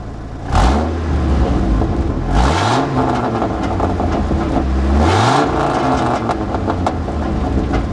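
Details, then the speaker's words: 1996 Dodge 8.0 V10 ranch truck that is using coolant, with a possible cracked head or head gasket: three sharp revs with a harsh raspy popping edge. The exhaust is leaking and falling apart. "you guys want to hear what a uh V10 with an exhaust leak sounds like I know the answer you can hear it popping"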